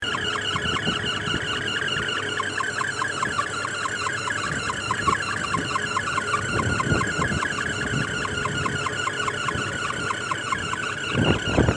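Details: Package AC indoor unit: pulsing high squeal with steady chirping rhythm over the blower hum, traced on inspection to the drive belt slipping; greasing the belt eliminated the noise and the AC then ran smoothly.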